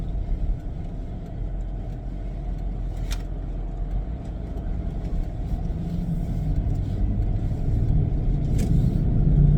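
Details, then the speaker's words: 2003 Pontiac Montana, 123,480 miles, on a road test: steady low hum/vibration building with road speed, felt from about 20 mph and strong by 35, unchanged by engine speed; suspected bad front wheel bearing, not diagnosed. "It's a vibration, and it's based on the speed that I'm going on the road. Doesn't matter. The engine speed doesn't change it. It's the speed I'm going on the road. It changes with that. So I'm up to 35, and it's a pretty good hum."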